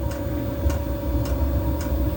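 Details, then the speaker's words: Diesel heater after E-06 fan-sensing error, control board sensor moved slightly closer to the fan, no part replaced: steady low combustion rumble with a crisp tick about once a second from the dosing pump; fired up and running normally, possible intermittent fault. "and you might or might not be able to hear it's now reinstated, and it's just fired up."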